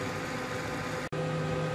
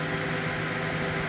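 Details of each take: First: Gigabyte G1 R9 390 graphics card after fitting replacement 87mm ball-bearing fans: even, quiet whir with a soft steady hum and no ticking or rubbing; the fans are spinning smoothly and sound healthy. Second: Gigabyte G1 R9 390 graphics card with replacement 87mm 4-pin PLA09215B12H fan: steady airy whoosh with a constant hum and no speed change, running louder and higher-pitched than the original but still working.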